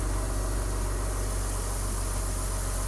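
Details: 2005 BMW X3 after restoration, back together and running: smooth, even idle with a steady low rumble and no knocks, ticks or misses. Normal idle.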